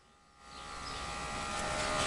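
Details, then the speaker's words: Demolition derby car electric fuel pump wired through toggle switch, key on then switch flipped: steady electric buzz and even whine as pump primes, bringing gas in; normal operation. "And it's bringing gas in now."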